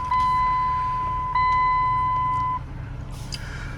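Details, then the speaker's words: Auction car just cold-started, door and hood open: two long steady high-pitched dash chime tones over a quiet idle, warning for door ajar and hood open plus change-oil reminder not yet reset. "what do we got here door is open hood is open change oil"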